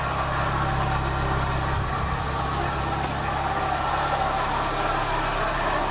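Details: Toyota Echo engine idling after an intake replacement, with the radiator removed and no coolant: a constant loose rattle through the idle from a worn water pump bearing wobbling on its shaft; the water pump is finished.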